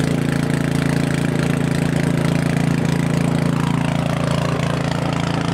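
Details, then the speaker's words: Craftsman 900/22 single-stage snowblower small single-cylinder engine, carburetor leaking fuel, started on choke after priming: loud beat about three firings a second, slightly uneven; running rough and starting to surge. "he said that it does run but it runs a little bit rough and he did show it to me running and it ran pretty good initially and then it started to kind of um surge a little bit run a little bit rough"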